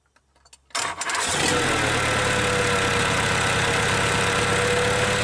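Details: Perkins 1000 4.2 diesel whose injection timing somehow changed: cranks briefly, catches near one second, then settles into a steady rough diesel clatter at idle; slow hard start, cause unconfirmed.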